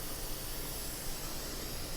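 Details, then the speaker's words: Bose L1 Pro 16 powered speaker from a Behringer mixer amp at about half volume, no signal playing; a steady loud hiss across the whole range, an input noise problem on the unbalanced XLR channel path: speaker hiss from unbalanced input. "Do you hear that hiss? I mean, I'm sure you do. That's pretty loud."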